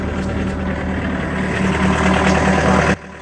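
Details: Yanmar 4TNV diesel in a Takeuchi TB260 mini excavator, run after secondary fuel filter replacement and fuel priming, settles into a steady, even idle with a low drone and no stumbling before shutdown; healthy normal idle.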